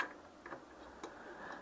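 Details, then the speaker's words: Citroën 2CV AZLP6 rear right wheel turned slowly by hand: faint irregular single ticks; owner suspects a loose cap rattling around at the wheel, drum in poor condition; cause not confirmed. "j'ai pas pourquoi il ya un tac je crois qu'il ya un bouchon qui se baladent en fait c'est surtout ça le problème"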